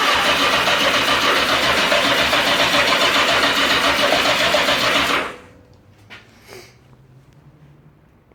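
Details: 1982 Yamaha XJ650 (4K0), 90,000+ km, carbs cleaned and floats set, spark on all four plugs: steady starter cranking for about five seconds without ever firing; cranks but won't start.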